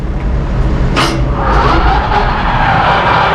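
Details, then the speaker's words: Massey Ferguson 2850M compact tractor at idle engaging the DM164 disc mower through its soft-start PTO; a whirring tone climbs and settles as the discs spin up smoothly, normal disc mower engagement before raising to 540 PTO rpm at about 2400. "and you can hear the this mower is running"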